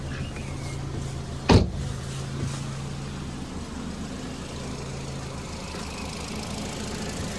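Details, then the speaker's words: Ford Fiesta Zetec warm idle after service, timing belt and water pump replacement, being brought up to temperature and bled; heater blowing warm air. Steady, even low hum, no knocks or misses, one brief thump early on: normal idle. "As you can hear, all back together. It runs. I'm just getting it up to temperature now, making sure it's bleeding."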